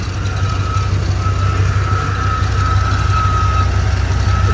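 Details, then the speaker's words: Chevy K1500 throttle-body-injected 350 V8 (AutoZone reman, 6,000 miles over 7 years, sat almost a year) with a steady high squeak over a lumpy idle, present for years. It seems front-side or deep in the block; oil pressure is good, and the engine always starts hard. "it's made that noise for years plural it sounds like it's coming from the front side of the engine"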